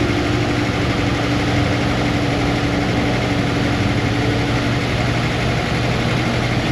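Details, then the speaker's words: Chrysler, cold start: lumpy, uneven low rumble at idle with a faint tone on top; runs rough, cause not confirmed. "I don't think she wants to fix this Chrysler, but I'm going to fire it up. You can hear a cold start, and I'm going to put it in the grass."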